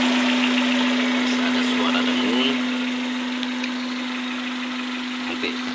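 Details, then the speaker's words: Suzuki APV Mega Carry idling: steady humming drone from the throttle body/air filter hose; suspected dirty, sticking ISC sensor from lack of tune-up, to be cleaned; cause suspected, not confirmed. "Nah itu biasanya terjadi karena sensor ISC yang kotor nah ini jarang sekali tune up kayaknya ya sampai kotor kayak gini"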